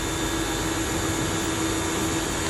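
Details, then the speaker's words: Small pressure washer after repair of pressure switch assembly (O-ring and switch stem replaced), previously cutting out after spraying: constant even motor-and-pump drone with no surging or sputter, strong pressure; running normally. "ก็นะครับแรงนะครับเครื่องทำงานปกติแล้วครับ"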